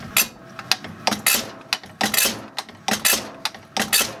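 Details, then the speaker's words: Rebuilt Zexel (Bosch) mechanical injector from a Kobelco SK160 excavator dormant about 17 years, on the pop tester after reassembly: crisp, sharp chatter bursts about once a second, good atomization; healthy injector. "now you can hear that chatter hopefully that comes through in the audio sounds perfect"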